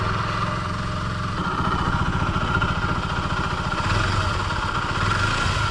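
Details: Honda Dio AF62 scooter, slated for overhaul, deliberately run with no oil added: a rough, uneven idle with heavy low thrashing and a loose rattle, an engine worn out from oil starvation.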